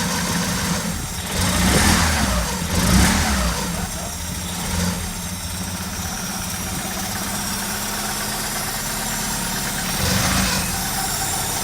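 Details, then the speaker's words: Opel Manta after rebuild and carb clean, no coolant, poor exhaust: loud open-pipe drone with uneven lumpy beat and sluggish throttle pickup; rough running, smells rich, ignition timing suspected. "Still running lumpy on the front. What do you reckon? I mean, it sounds bad because of the exhaust, but what's the pickup like?"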